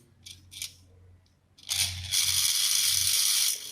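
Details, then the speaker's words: Rewound induction motor stator starting coil energised on a test lamp: low steady hum with a loud rattling buzz from a thin metal strip placed inside, showing the winding magnetises properly, normal. "यह vibration check करने के लिए इस type से आवाज आना चाहिए जो आवाज आ रही है मेजर बन रहा है इसलिए"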